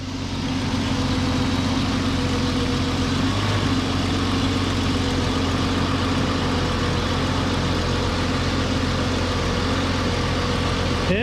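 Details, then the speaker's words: Jeep Cherokee Briarwood first running after sitting several years, with a new fuel tank, fuel pump, filter and about 1.5 gallons of fresh gas: settles into a steady, even idle with no knocks, misses or hunting. "yeah baby got her running"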